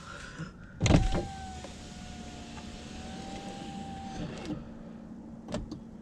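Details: Saab 9-5 power window after silicone lubrication fix for sticking: steady even motor whine about three seconds, starts and stops cleanly with no squeal or binding; window now runs smoothly.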